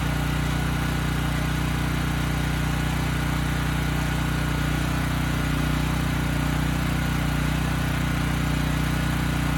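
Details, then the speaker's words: Briggs & Stratton Elite Series generator (model 030471-01), stored 5+ years, retested after brush cleaning while warming up: off load, engine runs slower than set and hunts, speed rising and falling about three times a second. "You know, we still get good power output, but the engine speed's a little slower than I would have expected given what I'd set it to earlier. That's the first thing. The second thing is that it is hunting a bit, and I didn't notice that before."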